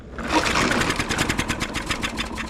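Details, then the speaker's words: Troy-Bilt TB200 push mower, Briggs & Stratton 625EX, sat outside for years, started outdoors before oil change; fired on first pull, ran on second, brief sputter then quick even putter with no misses: normal start. "oh she wants to I'll be Dar it fired on the first and it cranked on the second I am very surprised"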